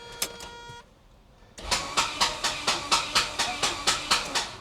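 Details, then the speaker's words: 1988 Saab 900 Turbo under restoration, cranked with an external starter button: loud, irregular sharp metallic clacks about two per second; owner suspected the starter, now suspects the flywheel, and fears rod knock; engine runs perfectly once started. "what is that sound see what is that when it starts it runs perfect okay I hope it's not like a rod knock or something"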